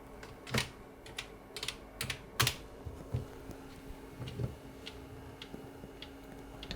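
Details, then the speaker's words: 3-inch floppy drive (Amstrad CPC type) loading CP/M after a fix and stepper motor realignment with an oscilloscope, fixing the "read fail" error. Light irregular head-step clicks over faint motor hum, no retry chatter. It reads cleanly. "good. I don't hear any retries either. So that's really good."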